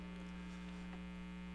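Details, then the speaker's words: Older pinball machine: steady low electrical hum with a buzzy undertone as weak filter capacitors let AC ripple into the DC; old caps blamed for a louder hum. "So when capacitors are weak and capacitors go bad, you actually get that AC ripple, we call AC ripple, into the DC. And if you can listen to this, you can hear hum."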